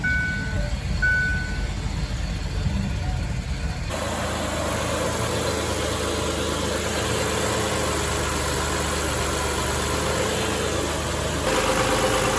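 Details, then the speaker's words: 2005 Ford Freestar 4.2L after cooling fan assembly replacement, just after start-up: a steady, even rush of fan air over a smooth idle, with no rattle or grind. Normal cooling fan operation. "I don't know if we can even see the fans back in there but we'll be able to hear them run"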